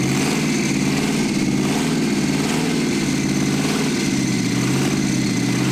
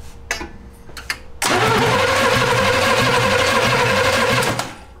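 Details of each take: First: 1971 Jaguar XJ6 small-block Chevy V8, sat 5+ years, after chasing fuel delivery; a fuel filter full of debris had been blocking fuel: steady, even V8 idle with a low, rhythmic burble, no knocks or stumbles, running on its own. Normal idle. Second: 1971 Jaguar XJ6 with a small-block Chevy V8, sitting 5+ years, first start attempt after new fuel cell, plugs, wires and oil: starter cranks steadily about three turns a second for three seconds, never fires; fuel not yet pulled up to engine.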